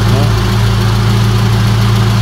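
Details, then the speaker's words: Mitsubishi Lancer GLi 4G15 on first start after a rebuild with new pistons, rings and liner: a steady, smooth idle with no misses. A slight ticking is noted afterward, and valve tappet adjustment is to be checked. "swabe na to mga p tapos ah magcheck na lang tayo ng ah valve taet adjustment ulit bago natin i-release doon sa owner"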